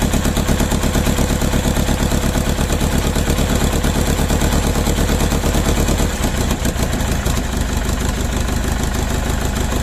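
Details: Mercedes OM611 diesel on standalone setup with factory Bosch ECU, second start: uneven, lumpy idle clatter about three beats a second with one cylinder missing; misfire from one bad injector.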